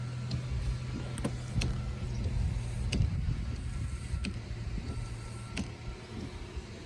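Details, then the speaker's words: 2014 Honda CR-V, 59,000 miles, after replacing a slow front wiper motor: steady low motor hum with a soft tick each sweep and no grinding or straining while the washer sprays; wipers and washer running normally. "there you go she's working and she's spraying"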